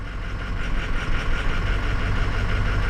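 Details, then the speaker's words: 2006 Ford 6.0 Powerstroke diesel at idle, a steady, even low rumble with no miss or stumble. It is fine now where before it wasn't. Cylinder 8 is suspected because disabling it makes no difference. Normal idle. "what i'm telling you you got to make sure that you don't have that fuel aerated number one"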